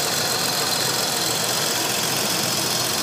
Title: 300ZX TT Vacuum Leak